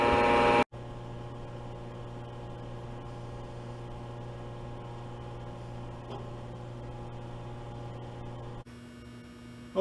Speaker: i'm going to turn off the controller so the switch is around the back side right here i don't like to hear that buzzing sound of the electricity